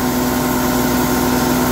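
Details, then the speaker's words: Sawmill with diesel engine and carbide blade slabbing a large, hard pecan log: only the even diesel drone, no squeal, chatter or scraping; the blade cuts near-silently, indicating a good sharp blade. "now notice you can't even hear that blade cut through there that's indicative of a a good"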